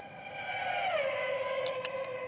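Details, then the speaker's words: Fly Sky FS-i T4S RC radio transmitter, heard when unplugged: a whining tone slides down in pitch, then three quick high chirps about a fifth of a second apart; signal-loss warning. "when you unplug this fly sky usually it makes a beeping sound and then makes this sound"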